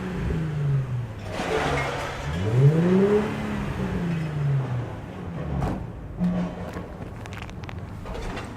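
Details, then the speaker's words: 2003 Nissan Fairlady Z Version T (Z33) with an aftermarket Fujitsubo JASMA-certified dual exhaust, revved at the port: clean blips swinging up and down with revs, smooth and not too loud. The exhaust note is normal. "Okay, so I'd say it's a pretty good sound for an aftermarket, and it's not too noisy like many of the aftermarket exhausts are."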